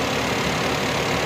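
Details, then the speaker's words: Suzuki Alto, about a 2020 model, in for no-start and dead meter lights (battery fitted reversed, no DTCs), idling with AC on, compressor clutch engaged: steady cooling-fan rush over a smooth even idle, no knocks or surging; normal. "ठीक है और जो compressor है ना इसका भी clutch घूम रहा होगा ये इसका क्लच भी घूम रहा है और ये इसका सेक्शन वाला फाइव है"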